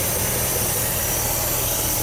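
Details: 1976 Dodge D200 truck after fuel pump and starter replacement and fuel hose rerouted away from exhaust: continuous even V8 idle, no misses or stumbles over the short run; engine running smoothly.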